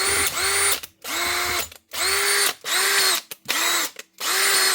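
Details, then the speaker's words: Power drill after a repair to a motor that had been overheating: short bursts of a clean, steady high whine with no grinding or misfire. It runs healthy, though a burning smell lingers. "That's her up and running on your motor. Fairly cheap."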